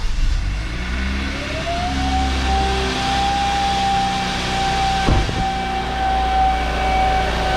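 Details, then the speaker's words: 2015 Kia Optima SXL 2.0L turbo four-cylinder at cold start or above 2500–3000 rpm: clear high turbo whistle rises over the engine drone and holds; boost leak from blown welds on the intercooler bottom. "all right so when i cold start my car or i'm driving it and it revs over 2500 to 3000 rpms my turbo will make this whining whistle sound here's an example"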